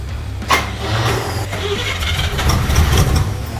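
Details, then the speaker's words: 1971 El Camino V8 with a new distributor fitted after months of spark trouble: long crank, then a low, uneven rumble as it catches and stumbles; the starter is worn, new mini starter planned. "we understand the starter's bad"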